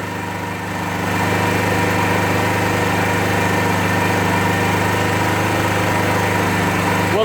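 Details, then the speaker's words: 2001 Suzuki GZ250 single-cylinder, start with choke being backed down: steady thumping idle about 3.5 beats a second, slightly uneven and plucking; owner suspects lean running, also gutless, blue front pipes, surging around 20 mph. "usually right at this stage when I back the choke down a little bit it starts to pluck and that's also a sign of a lien engine"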